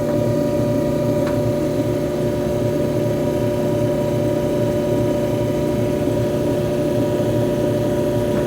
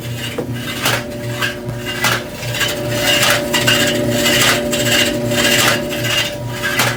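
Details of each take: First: Electrolux front-load dryer EIMED60LT3 after repair to cure a scraping noise: smooth, even hum with steady drum rumble, no scraping or thumps, heating; normal running after repair. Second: Electrolux front-load dryer EIMED60LT3 that still heats. Harsh rasping scrape with sharp bursts about once a second as the drum turns, caused by a loose bulkhead panel rubbing the drum.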